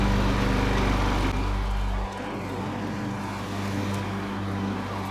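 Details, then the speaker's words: Craftsman mower 917.376655 with a Briggs Quantum 122T02 engine, rescued from the curb and repaired, mowing grass: a steady, even single-cylinder drone that dips slightly under load, with no misses or knocks; it starts first pull and runs healthy. "It starts consistently first pull. The engine sounds good. And now everything is functioning like it should."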